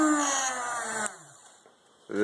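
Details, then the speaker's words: 120 V AC motor on a homemade 8-bit speed controller with reed relays driven by shift registers: hum wavers unevenly, drops out about a second, then surges back; failing relays make speed uneven. "a shitty speed controller that doesn't work very well because the relays fail"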